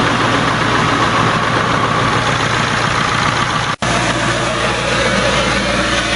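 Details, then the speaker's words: 7.3 diesel swapped in for a 6.9 IDI on a 1989 International S1600, cold start in 30s°F after glow plugs, fuel diesel mixed with ATF: steady rumble and clatter settling to even idle; normal. "Battery died on the camera, but now I've got the exhaust hooked up so it don't sound bad like it did. That noise you hear is the exhaust back pressure valve doing its job, trying to help the engine warm up."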